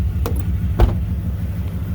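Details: 1998 Dodge Durango single-cam V8 idling during a timing light check after timing chain replacement for a P0300 multi-cylinder misfire, not yet warmed up. The idle is a steady low rumble with even pulses and no tapping or rattle. Timing is right on, a good fix.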